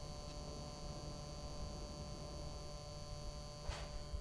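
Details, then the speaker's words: Mercedes 500SL throttle actuator: a steady electric hum with a faint higher whine over the engine rumble; abnormal motor hum that, when micro switch contacts connect, throws the car into limp mode. "you can hear the motor humming I don't know if the camera picks it up just get you the closeup of the hum which is not really a deal breaker it will work like that for long years"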